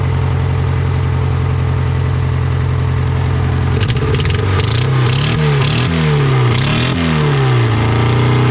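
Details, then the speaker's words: Honda Civic that sat about 10 years: lumpy, surging, stumbling running; owner suspects a stuck injector causing a cylinder misfire, spark plug to be checked. "let's try firing this thing up hopefully it doesn't have a stuck injector causing that cylinder misfire"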